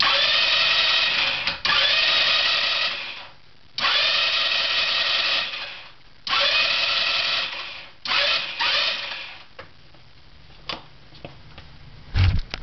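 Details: 150cc GY6 scooter that shut off after riding in rain; starter whirs in repeated bursts of a few seconds with pauses, no firing. Valves already adjusted; owner suspects something electrical got wet. Cranks but won't start.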